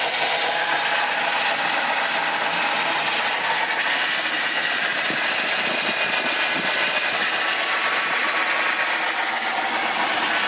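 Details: BMW 318i M43 1995 engine at steady idle with a thin, busy rattle on top, appearing after water pump failure caused overheating; engine rattle, source unknown.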